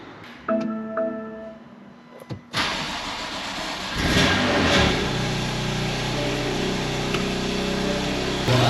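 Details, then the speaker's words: BMW M2 Competition (N55/S55) first start after VTT spline-lock crank hub install; fires, flares, then smooth steady idle with no knocks, before Valvetronic relearn; normal start and idle. "that's the first startup after doing the quickup she's good she's healthy"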